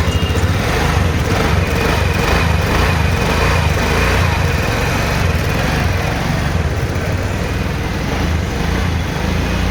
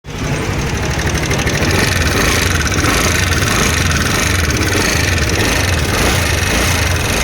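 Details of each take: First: TVS Ntorq 125 BS6 Race Edition scooter after valve clearance adjustment (intake 0.04 mm, exhaust 0.07 mm): steady single-cylinder putter, even and unbroken with no ticking or knocking; engine now running healthy. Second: TVS Ntorq 125 BS6 scooter, race edition: busy running note with rapid irregular ticking and knocking riding over it, loud at idle; worn valvetrain and leaking valves.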